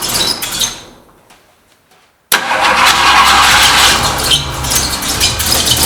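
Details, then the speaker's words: 1968 Ford Mustang, no-start traced to bad voltage to coil, fixed by jumping 12 volts directly to coil: after a dying crank it catches and runs strong, busy even roar with light revs; loose belt noise remains. "oh my God so ridiculous the whole time it was bad voltage listen to it it's purring aside from the belt I can tighten that up"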